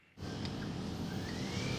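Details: Range Rover L322 4.4 TDV8 accelerating hard: a thin whistle climbs steadily in pitch over a deep engine roar; the owner wonders if the turbos are dying, cause unconfirmed.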